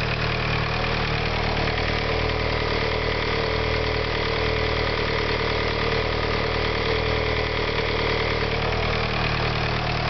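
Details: VW Sharan started after engine repair: even, steady idle for ten seconds with a consistent low thrum, no misses or heavy knocking; normal idle.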